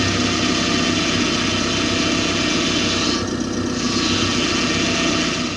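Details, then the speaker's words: Hydraulic power steering (DHB) pump moan: a loud, high, steady moan, higher-pitched than a growl, over a running engine. It occurs with low fluid during sharp turns or quick manoeuvres at speed. Fix: top up the reservoir and bleed the system. "o gemido é um ruído de maior intensidade E mais agudo que o rosnado é semelhante ao originado quando uma bomba de direção hidráulica está operando com falta de óleo ou com o nível muito abaixo do especificado ouça"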